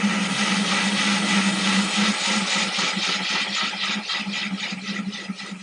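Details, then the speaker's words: Ryobi drill with diamond bit wet-drilling thin 10-gallon aquarium glass, slow, water-cooled: steady gritty grinding under even drill whine with mild pulsing; clean cut, no cracking or splintering. "You can hear the bit is grinding, it's doing the work."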